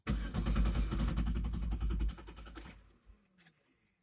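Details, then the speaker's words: Chevrolet Venture van with fuel pump fuse 32 (15 A) pulled to relieve fuel pressure before a fuel filter change. Engine cranks, catches, runs rough about two seconds, then sputters and dies as the fuel runs out. "Now we're going to turn the ignition over. Make it start and run till it runs out of gas."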